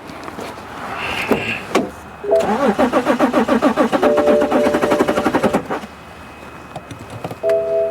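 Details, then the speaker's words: 2011 BMW X5 3.0L diesel, towed in with a crank-no-start, cranked with the EGR valve unplugged: steady cranking at about four compressions a second, never catches. The EGR valve is ruled out as the cause. Crank, no start. "run okay all right so same thing is happening the engine cranks it doesn't start"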